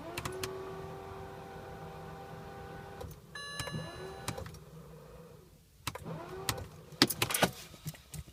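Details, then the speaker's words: 2006 BMW E90 325xi cold start at about -18.5°C: steady mid-pitched electric whir for seconds, then clicks and short rising whines, engine never catches; owner likens noise to a fan, previously started on second try. "my bmw e90 2006 325xi won't start up does anyone know what the problem is it's making a weird noise"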